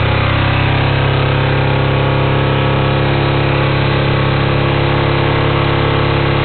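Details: Kawasaki Ninja 250, first start after swapping in a 2007 engine for a 2002 motor that blew up on the freeway; warm day, partial choke, coolant cap off for purging: steady, even low thrum with no knocks or misses; running cleanly.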